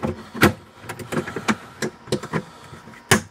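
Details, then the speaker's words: Old, abused ratcheting wrench removing a tight door handle fastener on a 1998 Buick Park Avenue: irregular sharp clicks and snaps as the ratchet lets go under load instead of holding; worn ratchet slipping, probably needs replacing. "You hear that? She's slipping. That's because this ratchet wrench is old and been abused."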